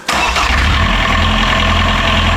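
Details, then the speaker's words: Boat genset, previously bench-tested, wouldn't start in the locker; suspected flooded with a belly full of fuel, timing reconfirmed. The engine catches at once and runs steady and even with no misses or knocks, so there is nothing wrong with the motor: normal start and run. "Okay, so there's nothing wrong with the motor. Just I reckon it got a belly full of fuel."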